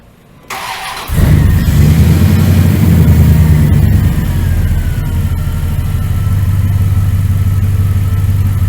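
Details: 1999 Dodge Ram 1500 5.9L gas V8, after new starter, belt tensioner and idler pulley: quick clean crank, instant catch, brief flare, then smooth steady idle with no ticks or knocks; motor sounds good, normal idle.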